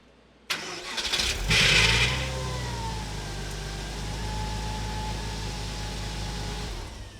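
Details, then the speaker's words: 1998 Porsche Boxster base, failing starter motor: engine catches, then a harsh ripping, tearing grind for about half a second over rising revs before idle; starter drive staying engaged after start. "the one of the two symptoms was that god-awful sound that you heard right after the engine started. >> The ripping and the tearing."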